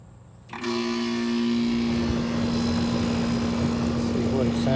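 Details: Old Goodman AC condenser unit with a bad capacitor, after capacitor replacement and contactor pushed in by hand: kicks on cleanly, then a steady low compressor hum with an even fan rush; normal operation.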